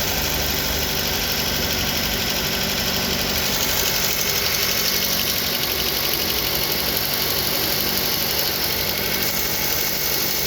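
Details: Suzuki SX4 idling engine with a fast, fairly even knock, roughly four per second, riding over the steady run — engine knock at idle.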